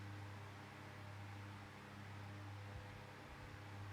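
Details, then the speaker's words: Tesco DF96 9-inch desk fan running on low speed: steady low hum with a faint uneven rumble; owner suspects the motor is a bit worn from years in storage, otherwise runs quite well. "I think the motor is I think the motor's a bit worn out of it being stored away after goodness knows how many years. Apart from that noise, still runs quite well."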